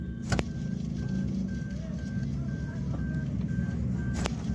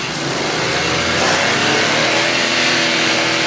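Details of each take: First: 2022 Suzuki Alto idling: light repeating chirpy tone over low engine rumble from the alternator; worn alternator bearing, belt removed to check. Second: 2022 Suzuki Alto after replacing worn alternator bearings, light throttle blips: engine revs up cleanly with an even, smooth rise and no whine or rumble from the alternator; the previous alternator noise is gone.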